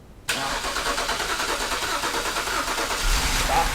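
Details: BMW X3 3.0 after starter motor diagnosis and replacement, battery reconnected, started from the back seat: engine catches almost at once and runs at a fairly even idle, no grinding or starter whine; starts normally, though fuel was then seen leaking.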